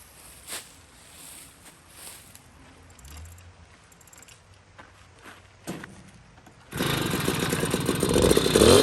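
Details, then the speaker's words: Puch Maxi moped with rebuilt 70cc kit engine, runs after jetting to roughly a 78 main jet with makeshift air filter: little two-stroke catches and buzzes steady and crisp, climbing cleanly with throttle; tops 34-35 mph, properly jetted. "okay so i got an update it's running beautifully i have it uh dialed in uh i ended up running a i want to say uh 78 main jet in it"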